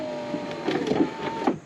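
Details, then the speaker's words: 2004 Volkswagen New Beetle MK4 passenger window before regulator replacement, lowered after owner reported crunching; motor hum with irregular crunching and snapping "like corn flakes" as glass lowers. Failing, worn regulator cable. "love that that's worse sounds like corn flakes in there"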